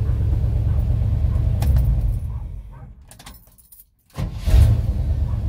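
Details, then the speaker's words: GM C30 truck after replacing the ignition switch to fix a no-crank no-start: low steady rumble fades, then engine catches quickly and settles into an even idle; normal start and idle. "so let's see if it starts yay it started"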